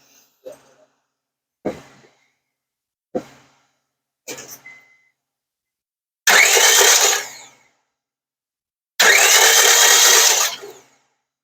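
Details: 2005 Honda Civic 1.7 D17A1 that ran 10 seconds and stalled after oil pan and valve cover gasket replacement: short cranking bursts then long even fast spins with no firing; cranks but won't start, zero compression found, engine suspected damaged.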